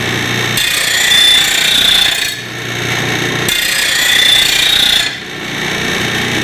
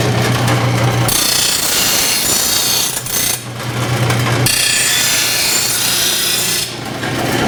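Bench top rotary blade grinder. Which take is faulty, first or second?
second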